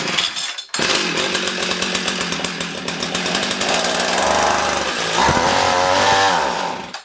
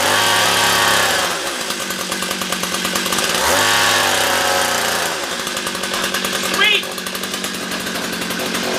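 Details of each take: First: Old small two-stroke ice auger, started with choke on after spraying starting fluid, before carburetor adjustment: catches and buzzes, wavers and surges unevenly, then dies after about seven seconds; engine stalls after starting. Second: Ancient two-stroke ice auger after adjusting the low jet to stop it dying out: high, buzzy note holds steady and rises cleanly when revved without stalling; normal running.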